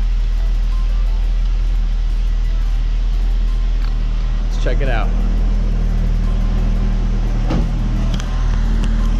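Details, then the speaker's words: Saab automatic at idle just after an automatic transmission fluid flush, run to circulate the fluid and check for leaks. A steady, even low rumble with no knocks, slips or whine. Normal idle. "sounds good and looks good must be good"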